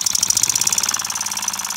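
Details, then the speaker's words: Repaired Stuart oscillating model steam engine of simple bar stock, run on compressed air and being turned down: quick even crisp chuffing about fifteen beats a second with no stumbles; runs smoothly. "turn it down nice little oscillating engine listen to that sound that's a beauty isn't it"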